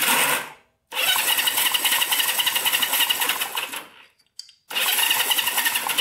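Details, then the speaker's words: Barn-find Honda CB350 twin (1970 or 1974), long stored, WD-40 put in the cylinders: starter spins in quick, even chatter, about four turns a second, in two bursts, never catching; one cylinder has no spark, owner suspects points, plug or cable. "no spark on that one let's see if they're sparking this one oh yeah this one's got a good spark it's just the one that doesn't have spark"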